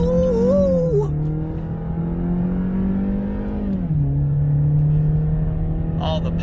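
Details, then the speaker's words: 2011 Chevrolet Cruze 1.8L road test after repairing coolant in the wiring harness from a melted thermostat heater: smooth engine note climbing evenly through the gears with clean shifts and no misses; fuel trims good, no trouble codes. "so now that that's all squared away finally we're gonna hope anyway but we'll run around some more here just let you guys know for sure that she's boogy and"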